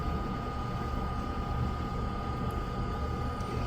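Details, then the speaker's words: Ice-O-Matic GEMU090 flaker ice maker whose complaint was not making ice, running while the evaporator cools. Steady low hum, even fan rush and a faint constant tone, no knocks or rattles. Normal. "So this will take a minute for it to push the ice up and a refrigeration system to get the evaporator cold enough for the ice to appear on the walls."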